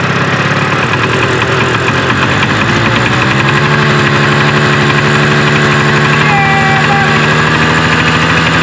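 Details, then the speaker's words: 1974 Arctic Cat Lynx 340 fan-cooled two-stroke snowmobile, sat outdoors five years, started in cold snow on very old fuel: uneven putter picking up slightly to an unsteady idle; running but not sorted. "seems like it wants to go so i'm going to keep juicing her and tugging on her so she said and see if i can make her go she's idling"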